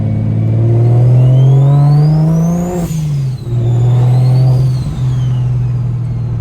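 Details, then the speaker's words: Newly installed Pulsar 6466 ball-bearing turbo, replacing a blown turbo: under a hard pull a clean turbo whistle rises with revs, then a smooth falling wind-down on lift-off; spool is also audible on downshifts. "right there I don't know if you guys can hear that wind down that [ __ ] is just crazy yeah this [ __ ] sounds crazy"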